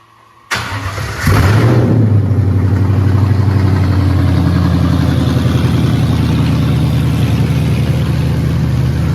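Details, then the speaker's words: 1967 Mustang Fastback Eleanor build with a swapped 5.0 Coyote V8 and T5 transmission, first start after wiring: brief crank, then it catches into a deep, even V8 burble with steady firing; normal start and idle. "It's all hooked up. We're going to go ahead and crank it up and go ahead and let you hear it."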